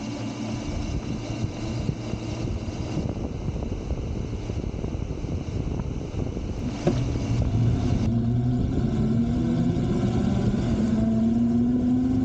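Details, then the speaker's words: Razor Pocket Mod electric scooter on stock lead-acid batteries after about 20 minutes of riding: motor whine drops then climbs slowly and strains under load over road rumble; batteries nearly depleted, scooter slowing and motors struggling. "okay now here it is after riding it for some 20 minutes or so and as you can see it is starting to slow down and you can hear the motors starting to struggle"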